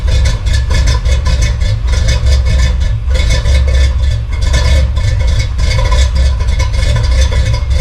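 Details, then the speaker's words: Chevy big-block V8 after a new radiator and hoses were fitted and air bled. Warming at about 165° with the thermostat opening; deep, steady burble with even firing and no knocks or ticks. Later held 162–180°. Normal idle. "Sounds good. About 165, it's getting there. Oh man, I love that sound."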